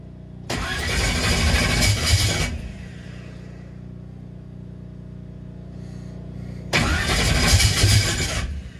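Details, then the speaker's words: Turbocharged small-block Chevy V8 drag car cold start on brake cleaner sprayed as starting fluid: two short bursts, catching and roaring about two seconds each, then dying once the spray runs out. "Well, it did start. That was on the brake clean. She looks like a choo-choo train."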